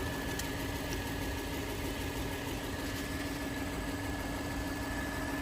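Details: Engine from a no-start fuel pump ECU repair job: steady, even idle with a faint high whine and constant low hum, no misses or knocks; engine sounds healthy.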